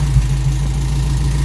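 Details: Toyota Corolla KE55 4K-C warmed up after first start, thermostat opening and cycling coolant through the radiator, cap holding with no leaks, missing vacuum lines refitted. Steady low, even idle with no misses, knocks or ticks.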